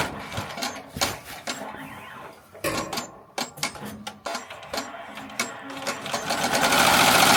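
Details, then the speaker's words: Melco Summit embroidery machine stitching an 8,000-stitch logo on a jacket at 850 stitches per minute: rapid, fairly even chattering stitch rhythm, no knocks or grinding; running normally. "So, like I said, we are running currently at 850."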